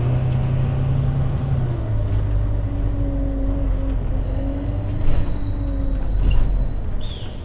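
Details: Wright Eclipse Gemini bus 37669 (X Class) while driving: droning whine rising and falling in pitch with road speed over bus rumble, gearbox whining louder than usual.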